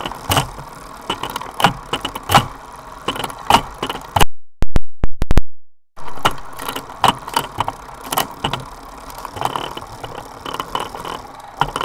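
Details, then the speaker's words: Sunrace cassette on a Directo XR trainer, Dura Ace rear derailleur, Ultegra chain under one season old, straight hanger, perfect shifting: steady drivetrain whir with rough grinding rasps, two or three a second, only on the 23T cog. "The noise is only on gear number 23 tooth."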